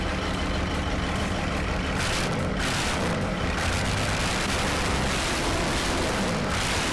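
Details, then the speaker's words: Cummins-swapped Jeep Wagoneer diesel after fixing air in fuel system from lift pump and bleeding: loud, dense, steady diesel clatter holding even without surging or dying; starts and idles healthily. "it sounds good now it sounds really good my heart's racing you can hear all 135 of those horse powers or whatever these are all the torques all the torques"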